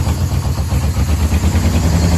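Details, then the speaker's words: Yamaha VMAX 1200, sat about 5 years: loping, slightly wavering idle held up on choke, no smoke; engine dies once choke comes off; owner suspects clogged carburetor jets needing cleaning. "It's running. No smoke. As soon as I put the choke off, he dies."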